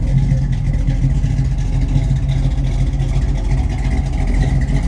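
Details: Normal V8 idle of a Monte Carlo SS on a chilly morning, with steam coming from the exhaust before delivery. A deep, steady low rumble with a gentle lope and no knocks or misses; it sounds healthy.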